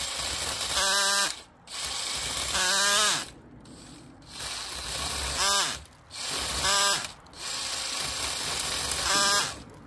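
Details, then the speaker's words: Drill-driven chainsaw attachment pruning branches at slow drill speed: short drill-whine bursts bogging and stopping every couple of seconds; chain teeth jam because the underpowered drill lacks speed, pulling the user's hand toward the branch. "so the teeth of the Chainsaw keep getting jammed and yeah so there's two issues the saw the drill is having a problem and the other thing just keeps getting jammed because it doesn't have enough speed to go through what it's hitting"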